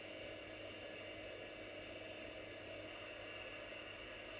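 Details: Commodore Amiga 2000 floppy drive, after head cleaning and adjustment: faint steady whir with thin constant tones, no seek clicks; drive keeps spinning but disk never loads, stuck after first loading screen with both Workbench 3.1 and 1.3.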